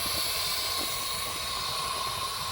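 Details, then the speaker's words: SN95 Mustang with a cheap eBay radiator and twin-fan shroud, one fan wired wrong: the engine overheats and coolant boils with a continuous hiss and bubbling, with fluid escaping at the hose clamps. "I'm overheating I'm overheating bro that [ __ ] is gonna blow bro God damn it hahaha this is what the second time second time I hear it boiling"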